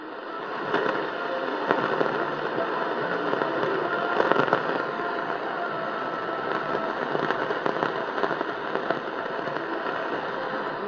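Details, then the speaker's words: Panasonic RF-973 AM/FM radio on evening medium wave, Terk Advantage passive loop, faintly receiving 530 CHLO; constant hiss with scattered sharp crackles and pops from distant lightning strikes, not a fault in the set. "Okay, I'm just barely getting some music there. But you'll hear some crackling. That's actually lightning strikes from a distant storm, so..."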